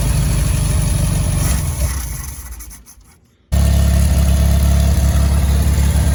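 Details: 1965 VW Beetle that sat in a garage for years, after tapping the carburetor for a suspected stuck float: engine fades and cuts out, then catches and settles into a steady, even low idle.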